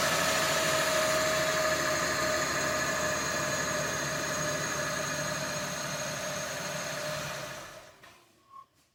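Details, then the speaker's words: 2020 Jeep Grand Cherokee 3.6 brought in after another shop's heavy engine rebuild (heads off), code P0339: about seven seconds of steady starter whirring, roughly 3.5 beats a second, with no catch; extended crank from a damaged crankshaft reluctor tooth. "It has an extended crank again, and we'll see what it does."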